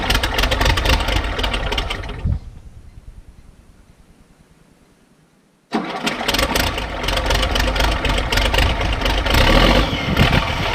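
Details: Case 1450B dozer with rebuilt diesel engine after reassembly, oil pressure gauge coming up: engine runs, dies away to near silence, then fires straight back up and settles to a strong even idle; normal start and idle.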